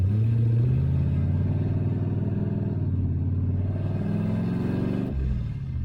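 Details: 1966 Ford Mustang with swapped 4.6L modular V8, driven on its maiden voyage with open downpipes dumping before the transmission crossmember and no exhaust: a deep, booming, unmuffled drone, far too loud to drive legally.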